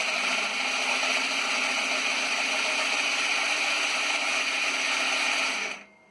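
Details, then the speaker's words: Yerf Dog CUV Rover starting with charger on a 2018 battery: loud, steady high-pitched starter whir with no compression beats, as the slipping starting clutch spins free; starting can take five minutes. "So you can hear the starter making a lot of noise. I finally got the thing spinning. And there it goes. So, sometimes that can take 5 minutes to start."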